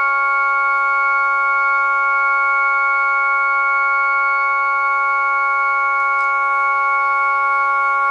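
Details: Jensen V21 Leslie upper horn driver with a Leslie 122 amplifier and a 1963 Hammond B3 organ, after the diaphragm was reset: a clean, steady organ tone with stable bright overtones and no buzz or rattle; normal driver tone.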